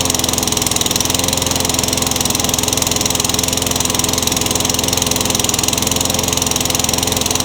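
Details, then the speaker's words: Craftsman trash-find mower that started and died (carburetor issue), primer bulb cracking: fast, slightly uneven popping with a thin, hissy edge; now stays running but still sounds lean, so a new carburetor is planned. "so it actually stayed running that's the first time that's done that but it still sounds like it's running too lean"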